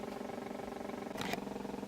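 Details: Mid-1930s vacuum tube radio, ex-mouse nest: steady low droning roar with fast pulsing flutter through the speaker; cause unknown, owner suspects old mica postage-stamp capacitors.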